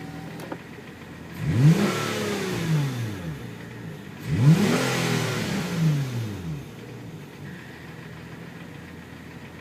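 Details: Hyundai Tiburon engine revved twice, with a whine whose pitch climbs and falls with engine speed.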